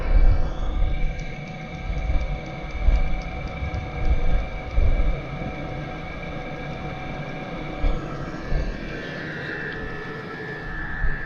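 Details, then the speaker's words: Diesel heater with a battery-backup mod, on AC charger power, shortly after start-up and left to stabilize with battery voltage rising. Steady fan hum, faint constant whine and soft low pulses underneath: normal running. "okay so we're going to let it run for a while and stabilize"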